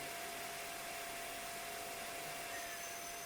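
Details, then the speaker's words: Pentium 200 MMX Windows 98SE PC after a repair: a steady, loud airy whir with a faint thin whistle at constant pitch, like a small vacuum cleaner; noisy cooling fans. "too shabby for a Pentium 200 it sounds like a small vacuum cleaner"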